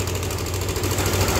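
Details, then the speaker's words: 2021 All New NMAX 155 scooter idling with a harsh, gravelly clatter over the engine note; initial diagnosis suspects the cam chain tensioner, not yet confirmed. "nah kali ini suara kasar ini untuk diagnosa awal kita curiga ke bagian dari Tensioner ya"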